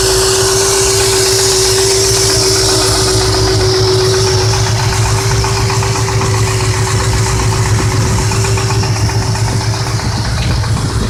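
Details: Ford 5.4 4V V8 idling with a hard, regular bottom-end knock, about four per second, over the engine hum; knock remained after replacing broken timing guides, all four chains, gears, tensioners, 3V oil pump and Cobra pickup; likely spun rod bearing.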